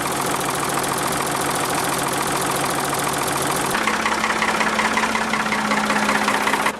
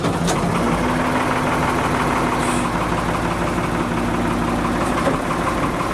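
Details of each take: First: Diesel backhoe loader, warm, running after an oil change: settles into a steady, even idle, the clatter easing to a smoother tone, sounding far better lubricated than before; normal idle. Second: Backhoe diesel, warmed up before an oil change, very degraded oil, mic near engine around 75 dB: loud clattery idle with an uneven chuffing beat about three per second, running rough, possibly from the tired oil.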